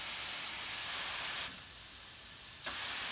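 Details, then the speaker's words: Allen Mogul model locomotive run on air at just under 40 psi, loco brake cylinder cycled via the air supply: sharp steady air hiss cuts off for about a second then snaps back on as the brakes go on and off; normal air brake operation. "we go. It's on and off. Brakes on, brakes off."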